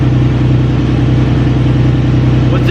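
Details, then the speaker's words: Nissan 350Z that ran rough with misfire, vacuum leak and lean codes, idling after the mass airflow sensor was removed and cleaned: steady, even low idle pulse with no stumbles or hunting, now running normally; owner wonders whether the MAF was the cause. "just a mass airflow sensor could that have been in because now like the car is not running weird and I all I did was bring out the mass airflow sensor"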